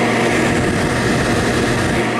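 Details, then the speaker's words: New 2-gallon multi-room humidifier from Lowes running on its highest fan speed: a steady, loud rushing whoosh with no change in pitch. The fan is excessively noisy, and the owner blames poor quality control on a unit that lasted under 24 hours. "Wait a minute, what the heck is that noise? Do we have a blower fan in here or what?"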